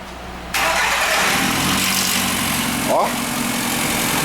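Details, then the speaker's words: Fiat Linea on cold start: engine catches and settles into a fast, hissy cold idle with a brief rising chirp; noise on cold start, cause unclear. "e entrou aí um linea e o carro tá fazendo um barulho quando liga"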